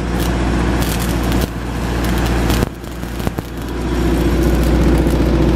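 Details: ZAKKA KDE-60KVA3 diesel generator, Ford engine, powering a welder: deep even diesel rumble dips briefly each time welder draws current, then recovers; normal running under welding load.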